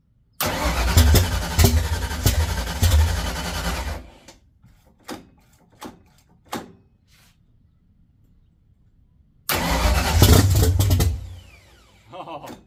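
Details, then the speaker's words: 1979 Mustang coupe 5.0 V8 swap, first start with carburetor bowl hand-filled: cranks, catches, runs ragged about four seconds then stumbles and dies, second try fires briefly; fuel pump problem. "It did start. It did kind of run for I don't know, four or five seconds, whatever you want to call it. But, uh, we definitely have a fuel pump problem."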